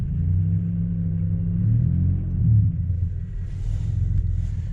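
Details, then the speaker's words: Impala after a shop replaced the holed, broken exhaust pipe, heard from inside the cabin under light throttle: low quiet rumble swelling gently, no rasp or drone, much quieter than before; normal exhaust sound after repair. "Give it some revs real quick. So as you guys can tell, it's a lot quieter."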